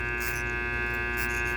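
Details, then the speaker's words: Small armature on a growler tester, razor blade run over the segments with a short deliberately created: steady mains hum with short buzzing blade rattles over shorted segments; overall the armature tests good. "all right so I created a short what happens you can feel it in the the actual blade"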